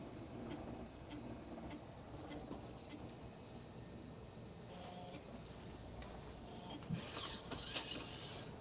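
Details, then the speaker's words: Floppy drive in an A-Team Mac formatting a high-density disk: irregular faint creaking, ticking and clunking from the mechanism, then a sharper chatter; initialization failed, cause undetermined. "Okay. You can you can hear it clunking away here. Scanning it."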